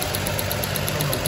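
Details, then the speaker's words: 2008 Chrysler Sebring 2.7 V6 idling with a rough, pulsing beat from a constant cylinder one misfire after the owner installed new spark plugs; weak spark, with a possible issue in cylinder one's exhaust valve pocket. "Got a constant misfire. It was showing cylinder one,"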